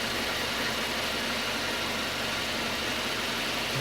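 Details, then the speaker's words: 2.0 Citroën C4 idling after cylinder head repair. Even, quiet hum with no ticking or knocking; the engine runs normally. "é só faltava esses dois o bichinho tá funcionando serenim"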